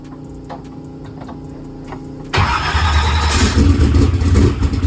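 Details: Drag race car, cold, new Powermaster ultra high speed starter fitted after slow cranking: a couple seconds of steady fairly slow starter churn, then catches and revs; slow cranking, owner suspects bad battery.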